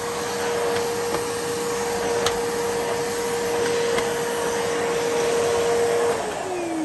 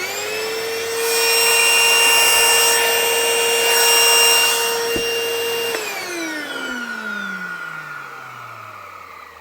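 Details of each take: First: 1980s Hitachi 790 (1300 Powerhouse) bagless cylinder vacuum after full refurb, basic straight suction head fitted: clean, steady motor whine at one pitch, no rattle or grinding, easing down near the end; sounds much better than before. Normal motor run. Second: 1980s Hitachi 790 (1300 Powerhouse) bagless cylinder vacuum, first run before refurb: loud, steady high-pitched screech riding on the motor whine, falling in pitch during spin-down after switch-off; terribly screechy, consistent with a dry, worn motor bearing.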